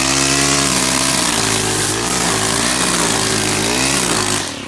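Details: Stihl gas-powered two-stroke string trimmer restarted warm after first start; high buzzy note holding steady with small rises and dips in revs, then easing off; runs cleanly, normal running.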